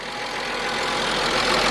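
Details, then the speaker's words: 1997 Mercedes-Benz E320, 119,000 miles, just started after almost a year unrun, following camshaft position sensor replacement and wire repair: idle uneven with slight stumble and hesitation as it settles; rough idle, cause not yet known. "bad for 119,000 miles. I hear a little hesitation there and all."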